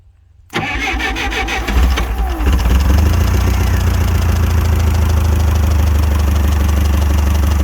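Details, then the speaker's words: Clark C500Y45 forklift, Waukesha D176G engine rescued from scrap, started with starting fluid in the hope propane takes over: starter turns briefly, engine catches within a second and settles to a steady, even, low idle; some blow-by and smoke, still needs tune-up, cap and rotor. "sounds too bad it's got a little bit of blow-by coming out of it"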